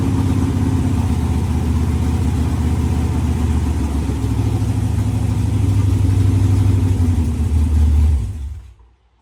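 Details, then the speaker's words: Firebird V8 running for the first time in the build, temporary fuel lines: lumpy uneven idle with frequent backfiring pops and stumbles as revs rise, then shuts off; runs rough, cause not confirmed. "the firebird runs it doesn't run great it was backfiring a lot but it runs nonetheless"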